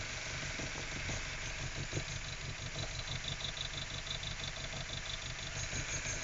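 Idle sounds lumpy and uneven, with loose irregular pulses about three a second instead of a smooth beat; rough idle, cause unclear.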